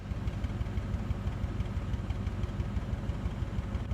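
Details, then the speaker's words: Engine demonstrating running rough, meaning vibration from inconsistent production of power: an uneven, shaky idle with irregular pulses and a low wobble, as opposed to a consistent cylinder miss. "Engine runs rough is defined as vibration caused by inconsistent production of power."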